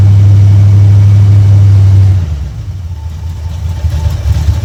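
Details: 1972 Chevrolet C10 V8 after a start on a battery charger, briefly flooded then good oil pressure; deep steady rumble with a quick rev dropping smoothly back to even idle: normal revving.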